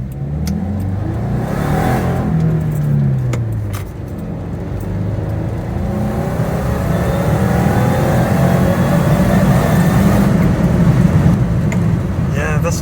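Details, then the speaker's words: 2015 Subaru Forester FB25 2.5L, DIY Eaton M65 supercharger, about 5 psi, after fuel pump install, full throttle: climbs then stumbles near top; pressure drops gone but significant hesitation remains. "now I think the fuel pressure drops are gone but there's still that significant"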